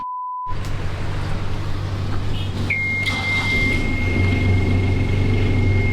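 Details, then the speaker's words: Boat diesel engine test-run after refitting a broken-off engine mount, alternator not yet bolted back on: starts and settles into an even low chugging idle with no knocks or clunks, steady panel buzzer tone above; normal idle. "But before we stick that alternator bolted back up, we're just gonna run the engine, make sure everything seems all right."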